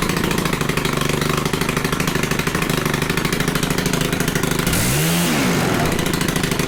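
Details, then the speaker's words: Stihl FC 110 small four-stroke trimmer after a stop-switch replacement, found to have had little to no compression. It runs at a steady, even speed with a quick throttle blip and sounds smooth and healthy. "but hey it shuts off this is a good used one not gonna be too worried about it shuts off runs fine"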